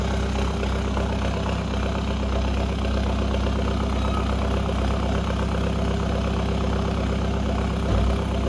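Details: Remapped VW Caddy 2K diesel idling just after its first start with a replacement GTB1756VK hybrid turbo, new box and 4-inch roll tip: deep, loud, rough steady pulse with no muffling. Loud straight-pipe exhaust at idle.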